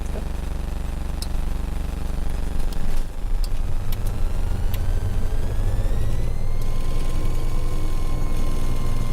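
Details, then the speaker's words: 1982 Cessna 414A piston twin, left engine start for the first flight of the day after priming, throttle 1/4 inch: starter grinds briefly, engine catches near three seconds and settles smooth and steady, oil pressure rising in the green; normal start. "First thing that we're looking for is oil pressure in the green. And it's rising in the green, and we're going to go 1,000 RPM."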